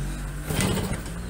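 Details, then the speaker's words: Yamaha V75 two-stroke after 72cc bore-up and clutch repair, previously weak and rough idling when hot: quick even buzzy idle with steady low drone, no roughness or hunting; much smoother than before. "suaranya sudah lumayan halus ketimbang yang pertamanya teman-teman"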